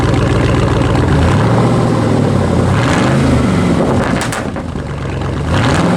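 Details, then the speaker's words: 2006 Chevy Silverado V8 bought at under 80,000 miles, started and settling to a loud, deep, steady idle through true dual exhaust with catalytic converters only, no mufflers; no knocks or misfires, healthy. "it's good running truck has a nice shifting transmission no leaks now true dual exhaust catalytic converters only no mufflers no glass packs let me start it up for you guys can hear it"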